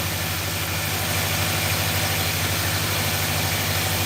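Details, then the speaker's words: 2018 Nissan NV3500 5.6L V8, previously sludged and engine-flushed, idling with a slight uneven stumble in the exhaust beat; mild misfire blamed on a failing ignition coil, exhaust shaking, no smoke. "you can hear a little bit of that misfire in the exhaust i need that ignition coil"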